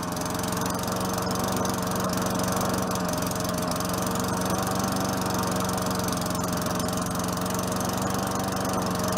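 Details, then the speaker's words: 4.5 HP Tecumseh Craftsman push mower after a new air filter, a little low on gas. Steady single-cylinder buzz with even firing, no surging or misses; it sounds better now, normal running. "Oh better now it sounds good"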